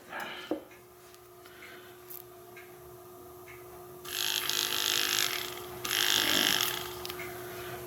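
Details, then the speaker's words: Nissan Maxima blend door actuator after fitting a replacement 12 V DC motor (RF-370CH, 5600 RPM), bench-powered in both directions; steady high whir with bursts of gear chatter; runs smoothly, works normally. "And that sounds pretty good to me. It looks like it's working pretty well."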